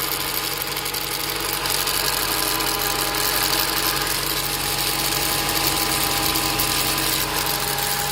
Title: Rattling Noise 2